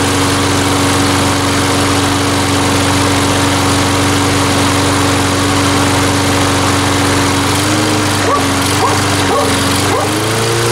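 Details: Salvaged mower engine after an ultrasonic carburetor cleaning, run with no air cleaner fitted and about half a liter of fuel. A steady, even buzz at constant speed with slight wavering near the end: running normally again.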